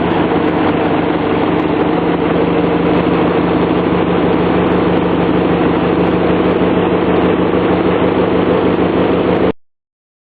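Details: 18 hp Briggs & Stratton lawnmower engine runs with a steady, even single-cylinder drone at constant speed, no misses or surging, after its clogged carburetor was cleaned and reinstalled with the mixture screw backed out 1.5 turns; running fine.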